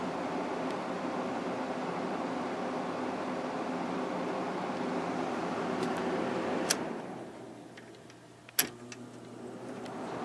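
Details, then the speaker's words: Emerson Quiet Kool window air conditioner with replacement GE fan motor from a Kenmore unit: smooth steady airflow hiss, then quieter even hum on low, no rattle or grinding; normal fan running on low. "but yeah it's running nice and quiet now"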